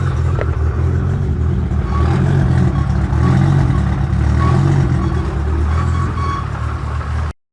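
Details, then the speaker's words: Built Toyota Supra engine with aggressive chopping cam, just after first start, coolant warming up, 130 oil pressure, 44 fuel pressure; deep uneven lope chopping about four times a second, healthy. "yeah we got 130 oil pressure 44 fuel h2o's warming up so let's list listen to that cam"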